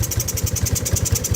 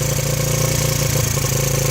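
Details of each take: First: 1985 Yamaha Moto 4 80cc ATV, choke on, idle just adjusted: small engine with a sharp puffing tick on each firing pulse, about ten a second, from an exhaust leak; carburetor also needs cleaning, may stall. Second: 1985 Yamaha Moto 4 80cc ATV on fresh fuel with the fuel valve shut off, small single-cylinder thumping at a steady, even idle with no stumbles or hunting until it runs out of fuel.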